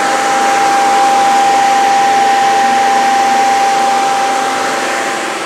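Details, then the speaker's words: Truck's electric radiator cooling fans, wired to a switch by the driver's head, switched on: steady rushing airflow with clean, constant mid-pitched tone, no rattle or scrape; fans running normally. "sed cooling fans for the radiator and i have all these on a switch right up there by the driver's head let's uh go take a look at that fire these things up let you hear them"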